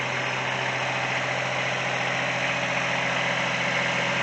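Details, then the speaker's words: Kubota three-cylinder diesel with rebuilt Zexel injection pump, powering a light plant, heard at the radiator end (louder) then elsewhere: steady even idle with smooth regular beat and no knocks or misses. Normal idle. "so as you can hear this is the loud end only because that's where the radiator is at come around here and it's actually pretty quiet"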